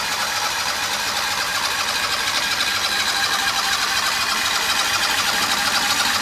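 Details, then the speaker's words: Turbocharged Harbor Freight 670cc V-twin dragster on nitro methanol: steady fast starter churning about two beats a second, no firing; cranks but won't start, no spark, cause unconfirmed. "so we have tried and tried to get this rail running again and we keep running into the same issue and that's no spark"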